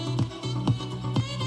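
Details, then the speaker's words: Panasonic RQ-V520 radio cassette walkman, 35–40 years old, tape playing on the reverse side of the head, volume turned down from maximum: full, even music with clear bass and crisp highs, no wobble; normal playback. "can you hear the triple and the bass and everything on the other side"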